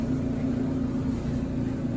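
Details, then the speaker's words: GE front-load dryer after a temporary free fix for bad vibration and noise: even low hum with a smooth steady rumble, no banging, thumping or scraping; normal dryer running. "so I think we probably just need one of those kids seems to be in a lot better shape now but that's what it sounds like"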